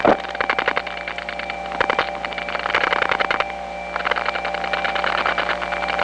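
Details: Faint steady tones with irregular clicks and ticks on a step-by-step exchange line (1976-1981 analog network): crosstalk from other trunks via capacitive coupling of wire pairs running side by side for miles.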